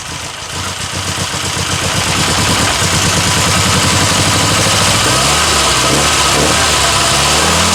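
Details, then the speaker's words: 1962 Austin Healey Sprite Mk2 with the 948cc four-cylinder, first start in over 40 years: it runs loud and uneven, surging about three beats a second and never settling into a steady idle. "Nothing wrong with that. Holy This doesn't quite want to idle, but Woo!"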